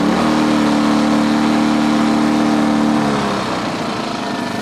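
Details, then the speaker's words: 2010 Champion 2000W generator after cleaning carburetor jets gummed up from 3–4 years of little use. Before, it surged unless the choke was fully out; now, in econo mode with the choke in, it holds a steady, even hum. Normal running. "Before I couldn't even put the choke in. If I put the choke in, the thing would just surge. Wah, wah, wah. Now it's running nice and even."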